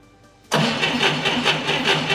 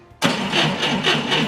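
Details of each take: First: 1990 Ford Thunderbird Super Coupe that sat in a barn about four years and had very low cranking speed on a bad battery: with a good battery fitted, brisk even cranking catches after about three seconds and settles into a steady run. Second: 1990 Ford Thunderbird Super Coupe, flooded battery charged to 12.73 V, cranking: starter turns lazily at about four heavy compression pulses a second, spins slightly better than before but still sluggish; slow cranking from weak battery.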